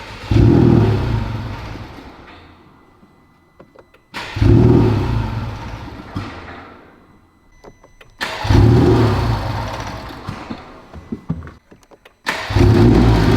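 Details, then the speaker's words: Rebuilt totaled 2021 Honda Civic Type R at first start, ECU logging code U0104 in all systems: engine fires, surges and sags about every four seconds, choking on itself and never settling to idle; owner suspects a massive vacuum leak. "To me right now it's like choking up on itself. So it kind of sounds like a massive vacuum leak somewhere in the system."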